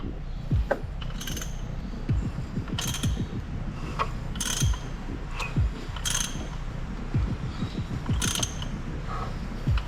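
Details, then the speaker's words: Rebuilt RB30 engine in Nissan 300ZX Z32, first start: engine turns with a rough grinding clunk about every 2.5 seconds; no marks seen under the covers, noise thought to be behind the timing cover. "it oh that that sounds like it's in the cover I reckon yeah yeah all right I'll pull that cover off out there"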